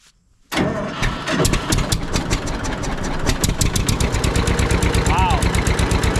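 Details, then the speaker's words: John Deere 630 tractor found in a barn, first start at half throttle with a little choke, good oil pressure: a sharp, steady ticking about three per second over the idle. It is suspected to be an exhaust manifold leak. "Sounds like we got a little bit of a ticking noise, too. Could be a mani"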